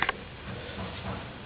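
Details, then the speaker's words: 1994 Chevrolet S10 Blazer, push-button 4WD, engine running: two quick sharp clicks over low engine hum as the vacuum-operated four-wheel-drive solenoids switch over. "it's all vacuum here I'll show you this runs I got everything runs my brakes and uh you can hear it clicking over on the on the cylind noids here for the four"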